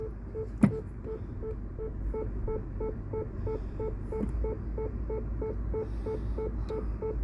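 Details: Mini Cooper Clubman (R55) in reverse after a genuine secondhand rear parking sensor replaced a failed cheap one and faults were cleared: steady, evenly spaced beeps about three a second over a quiet idle, so the parking sensors work.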